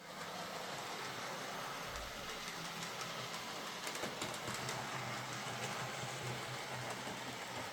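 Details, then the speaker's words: Model locomotive after repair, bogie pivot hole opened up to free the bogie: even steady motor whir with light track clatter, no surging or stutter; runs smoothly, normal. "And after that, the locomotive runs very nicely."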